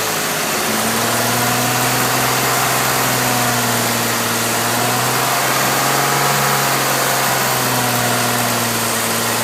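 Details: Steady idle with a hissy, raspy edge and faint puffing tick about four per second, typical of a leaking exhaust header; leak located with Seafoam, new equal-length headers planned. Exhaust leak.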